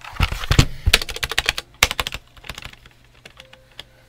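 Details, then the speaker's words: Redragon K596 Vishnu TKL mechanical keyboard: key clacks with a thin, rattly tick on the larger keys. The stabilizers shake and seem a millimeter or more off from fitting the plate, giving stabilizer ticking. "can hear the ticking so red dragon I really really really really really really implore you do better with your stabilizers"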